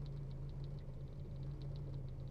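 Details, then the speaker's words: 1960s MG 1100 ADO16 with the 1098 A-series engine at idle: quiet, smooth, even low hum with no rattling or knocks; a remarkably quiet, healthy engine. "it's a remarkably quiet example of an A series actually don't just think that sounds lovely there's no"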